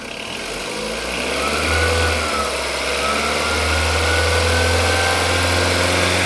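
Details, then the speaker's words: Skoda Rapid 1.6 16V CFNA, warm, after exhaust manifold cracks welded, backpressure gauge in upper O2 port, revs held near 2,500; even idle then clean climbs, faint exhaust puff as a small leak still blows underneath; otherwise normal idle and revving. "Так, ребят, сейчас звук у мотора нормализовался, но он у меня на самом деле уже и прогрет."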